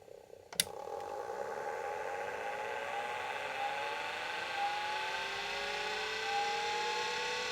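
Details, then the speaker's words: Atari Megafile 30 hard disk, mains-powered, unknown condition: click at power-on then smooth whine rising in pitch like a jet engine as platters spin up; normal spin-up. "kind of cool sound. Sounds like a a jet engine."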